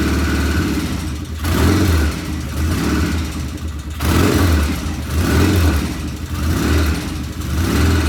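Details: 1975 Norton twin motorcycle, first start after rebuild, checking oil flow: idle surges and sags every second or so with uneven beat; occasional irregular running, cause unknown, one loud tappet suspected; tappets to be rechecked.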